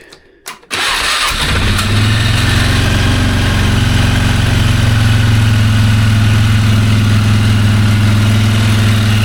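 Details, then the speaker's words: 2001 Polaris Sportsman 400 after oil change, cold start on choke in snowy conditions: quick catch after a short crank, then deep even thump settling into a steady idle; idle slightly adjusted; healthy start. "Heat. Sounds great."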